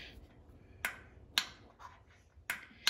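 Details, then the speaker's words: Amana/Whirlpool dryer that won't turn on, unplugged: door latch switch worked by hand gives four crisp clicks in a quiet room, so the latch works and is not the problem. "you hear that clicking, that means it's working. This is not the problem."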